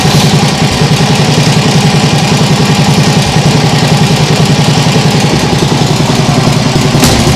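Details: Nibbi G619 walk-behind tractor engine after carburettor work: smooth, regular putter at a steady speed with no misses or surging; normal running, vastly improved, though an occasional hiccup may remain.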